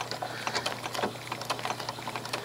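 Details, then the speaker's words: Quilt binding stitched by machine with monofilament thread. Fast, steady needle clatter with a distinct recurring click just before the needle swings sideways for the horizontal stitch of the blanket stitch. Normal stitching on a healthy machine. "And if you hear that little click as I'm stitching, rhythm click right there, that is the sound the machine makes right before it decides to go over to the side for"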